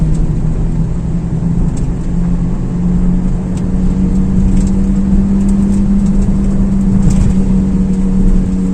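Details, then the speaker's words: Car driving at cruising speed: steady low drone over road noise, suspected worn hub wheel bearing humming; side and axle not yet identified. "Сегодня с вами рассмотрим два способа, самых простых и популярных, как проверить ступичный подшипник. Какой именно гудит, с какой стороны, как его определить самостоятельно."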